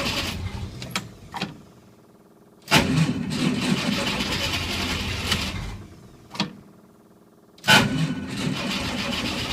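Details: Willys at -8°F, 6-volt system, full choke, slight throttle, in neutral: two long spells of rapid, laboring cranking with quiet gaps, never catches; cold no-start.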